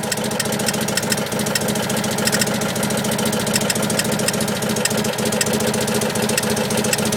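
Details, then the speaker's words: 1984 Acadiane petrol engine at idle: light, irregular clacks over a steady run that disappear when accelerating; owner unsure, suspects something rubbing or knocking near the starter. "j'ai un petit souci ce petit claquement au ralenti que l'on entend et qui n'est pas"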